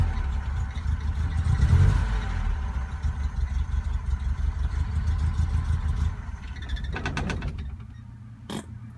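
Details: BMW 2002 given gradual throttle and blips: revs rise but the beat stumbles and pops unevenly instead of pulling cleanly; misfire under throttle.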